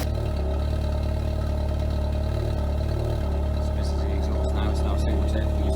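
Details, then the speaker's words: Classic Fiat with an auto choke and a new fuel pump and fuel lines: fuel pump heard, then the engine fires straight away and settles into a steady, low, even idle with no misses or knocks, running healthily. "There we are, on straight away. That's the nice thing about not having a choke. Well, obviously just having an auto choke, it does it all itself."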